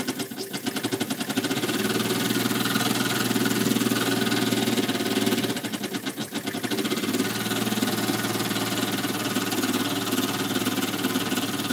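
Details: Small model steam engine, brass frame bolted to boiler, freshly reamed: light fairly regular knock through steady engine beat; intended bearing clearance, crankshaft would seize from expansion without it; normal.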